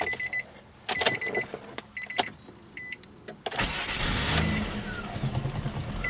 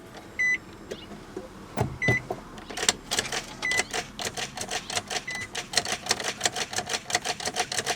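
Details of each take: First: 2002 Nissan Maxima, manual transmission, after replacing starter and solenoid that previously screeched: a couple of chimes, quick crank that catches at once and settles into an even idle; normal start. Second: 2002 Nissan Maxima, key turned: engine never cranks, only a rapid whirring chatter with a loud screeching sound, about four or five pulses a second, from a failed starter or starter solenoid; starter and solenoid replaced.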